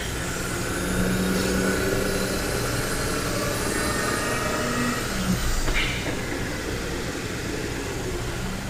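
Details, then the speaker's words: Genesis GV80 while driving: faint steady whine around 200 Hz over road and tyre rumble, traced to the rear differential pinion area, which a later bulletin addresses; rear differential pinion whine. "guys welcome back um so as you heard that um noise when we're trying to run the vehicle and in the horse we heard that noise is coming from the rear differential"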